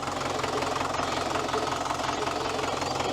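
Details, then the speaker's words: Auction tractor driven with the clutch not working: diesel running with a rough rumbling grind pulsing about three times a second, no gear-tooth noise heard; thrust (clutch release) bearing suspected worn, not confirmed. "I can't you hear you hear the touch that rumbly grinding"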